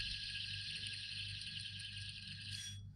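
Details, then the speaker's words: Idler pulley from a Subaru Legacy 3.0 timing chain job, hand-spun: a steady, high, gritty whir from a bad bearing, not completely shot; it will not be reused. "can you hear it that's the sound of a bad bearing not completely shot"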